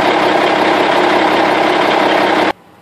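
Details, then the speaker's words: M939 military truck diesel idling after replacing the leaking air fan-clutch shutter-stat with a Medallion sensor switch retrofit, full air pressure built: even diesel idle clatter with no air leak hiss; normal idle, fan engagement not yet tested at about 70°F. "well that's a good sign you know the way the old one leaked um soon as it builds up air pressure the fan would slowly engage sort of halfway"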